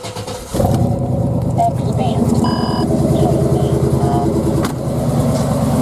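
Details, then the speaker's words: 1996 GMC Yukon 2wd 5.7L Vortec V8 with long-tube headers and dual exhaust, just started after lower intake gasket replacement: catches quickly and settles into a steady, even idle, no misses or knocks; no leak, running fine. "but anyway it hasn't been leaking not gonna wood and seems to be driving fine and I just started up let you look at it"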